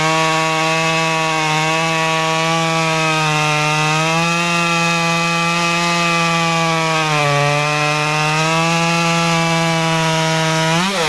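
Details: Modified Stihl 193T climbing saw (muffler mod, ~8–9° timing advance, limiters removed, 93 non-E fuel, 16-inch bar, PS3 .050 full-chisel chain) cutting a log: steady high-revving buzz sags slightly as chain bites, recovers cleanly; healthy, pulling well.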